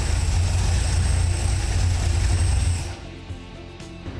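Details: V8 with a newly installed FiTech throttle body EFI, after fuel pressure, tach wire and tach selection checks, runs with a deep, even, steady rumble for about three seconds; normal running.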